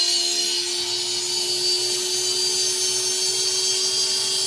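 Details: Brushless motor on BLHeli ESC driven by Raspberry Pi 50 Hz PWM at 10% duty cycle: steady even high-pitched whine at constant speed, no rattle or stutter; normal running.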